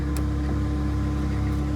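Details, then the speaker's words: Vauxhall Vectra GSi just started, fuel low: a steady whine over a smooth idle from the power steering pump, low on fluid after a leak. The fix is topping up the power steering fluid. "Yeah, that's my power steering pump, because my power steering has leaked, like I've said earlier."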